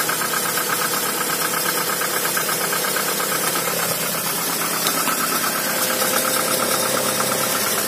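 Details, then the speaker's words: Cold Toyota RAV4 started after two days standing in snow, spark plugs gapped to 1 mm and temporary ignition-lead repair: steady, even idle with only a faint light ticking, suspected hydraulic lash adjuster; running smoothly, normal. "Так ну что мотор совершенно холодный Но работает ровно чуть-чуть немножко какой-то компенсатор подступит"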